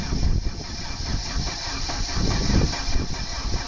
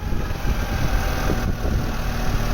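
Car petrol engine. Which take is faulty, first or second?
first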